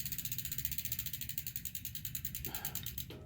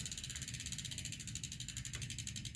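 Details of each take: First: Bicycle after a new shifter cable and front (top) derailleur adjustment: crisp, regular light ticking and an even chain whir with no rubbing scrape. The derailleur now clears the chain, with no dragging. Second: Bicycle during a new shifter cable install, fed through the left-hand controller to the front (top) derailleur: fast rhythmic scraping ticks, about ten a second, follow pedal speed. The chain is still dragging on the front derailleur while it is being adjusted inward.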